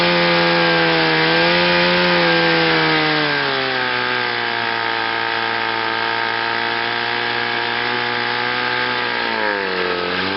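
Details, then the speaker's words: Chrysler outboard with an ignition misfire, run in gear forward on a test wheel after a new water pump, rebuilt carburetor and new fuel pump. It buzzes steadily with no misfire and sounds good, ready for a lake test. "so sounds good I think now it's ready for a lake test"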